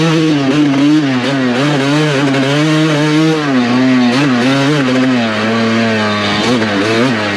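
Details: Freshly rebuilt, broken-in 2007 Suzuki RM250 two-stroke in a sand pit. A crisp, raspy pitch rises and falls cleanly with throttle, with no misfire or rattle. Normal, strong two-stroke revving.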